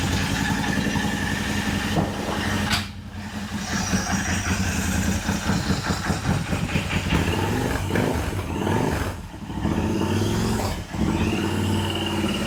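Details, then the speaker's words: Royal Enfield 650 twin just rebuilt with a Revelry 700cc big-bore kit and new clutch, first start: a steady, quiet twin patter that sits slow and dips now and then; idling a little low, cause unconfirmed, with two ECU maps and the active one unknown. "Oh, this thing. She's idling a little low."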